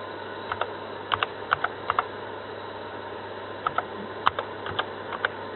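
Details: Tandberg TDV-2114 microcomputer (1977-79, 64 KB RAM) loading a file from floppy drive B: quiet hum with bursts of sharp head-stepping clicks; normal floppy drive operation.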